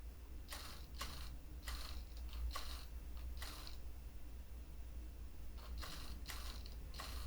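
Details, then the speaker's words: Micro:bit animatronic robot head, side-to-side hobby servo: short, thin, raspy whirring bursts each time it moves; owner thinks the squeak is just the servo model chosen. "the the side-to-side servo is a little bit squeaky. I think you could hear it on the microphone. What is that? Why are you so squeaky? I think that's just the servo that I chose to put in there."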